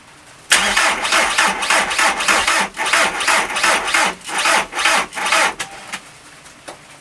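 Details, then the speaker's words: VW Transporter T4 with newly fitted engine, first start attempt: labored, uneven cranking about three beats a second that never catches; slow cranking, likely from a flat battery. "Attempt number 2 with a different battery on it is probably just as equally shagged. Just as equally as dead as the other one."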